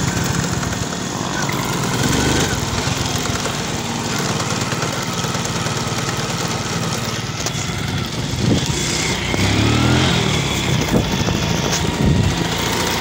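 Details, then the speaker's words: Honda XRM110 small single before overhaul, recorded near the engine in second gear: it runs steady with a rough, helicopter-like mechanical gear noise over the exhaust; a chipped or broken second-gear tooth is suspected. "Kung naririnig niyo kanina yung pinatakbo natin yung motor so pag-shift natin sa second gear maingay"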